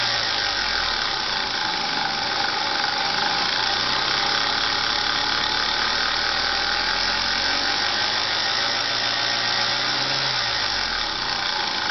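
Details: Lexus IS300 engine running steadily with a loud hissing, squealing wash and a faint uneven tick underneath; unidentified engine bay noise, source not pinned down.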